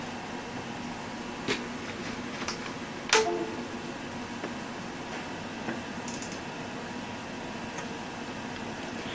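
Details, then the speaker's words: Western Digital Caviar Green WD10-EADS 1TB drive, shucked from a My Book and running in a desktop: soft fan hum broken by occasional sharp clicks as the drive excessively parks its heads when idle (idle3 timer). "you hear that clicking sound that is the hard drive parking its head"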